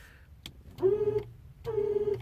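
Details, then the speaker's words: Car's failing factory horn before replacement with Sickspeed loud horns: two short honks come out thin, buzzy, raspy and choked instead of a loud clear blare; horn is shot. "Now, the reason why I'm doing this upgrade, because my horn sounds like it's been smoking cigarettes all its life, and it just took a dump on me, and here, I'll let you hear it."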